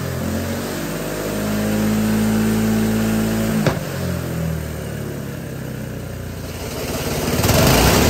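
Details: GX200 Honda-clone single-cylinder go-kart engine on hydrogen with pure water injection: revs up and settles fairly evenly with one sharp backfire pop midway; runs smoother than pure hydrogen, especially at operating temperature.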